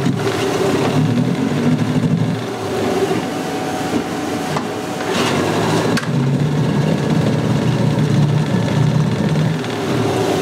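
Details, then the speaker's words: Salty, abused Yamaha 9.9 two-stroke outboard after carburetor jets cleaned and no-shift problem fixed: steady even drone with occasional slight sputter; runs and shifts, minor carb spitting, needs adjustment with air silencer on. "Alrighty. It runs, it shifts, it pees."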